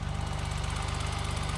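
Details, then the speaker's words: 1985 BMW 635CSi E24, automatic, sitting 12 years: quick evenly spaced exhaust pulses at steady idle with no stumble or miss; normal idle. "yeah man this thing she's running beautifully"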